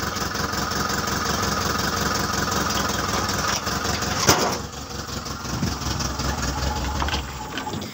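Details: Car engine catches and settles into a steady, even idle with no misses, knocks or rattles; sounds healthy.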